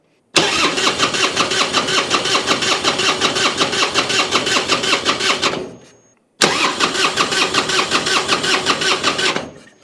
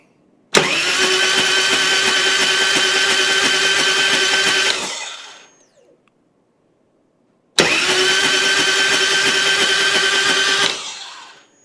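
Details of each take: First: 1999 Harley Road King EFI revived after sitting, spark confirmed, likely bad old gas: two bursts of steady starter cranking, about 2.5 turns per second, never catching; crank no start, owner suspects clogged injectors from stale fuel. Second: 1999 Harley Road King EFI twin cam being revived after sitting, spark plugs out, cranked on the starter to check it: two even four-second starter bursts, steady whirring spin with no rattle, clinking or clanging; healthy cranking.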